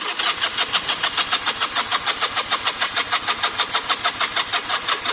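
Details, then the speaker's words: Motorcycle sat stone cold in garage for days, low battery: steady starter cranking about three turns a second for five seconds with no firing; cold engine needs choke. "there you go so we know that we need a bit of choke and we know that the battery's low and that's exactly why you do these tests"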